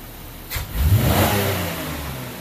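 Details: 2004 Buick LeSabre 3.8L V6 with rough idle and code P0102 mass airflow sensor circuit low frequency: snap-throttle check, engine blips off idle, revs rise quickly and smoothly and settle back without stumble; MAF frequency rises with it.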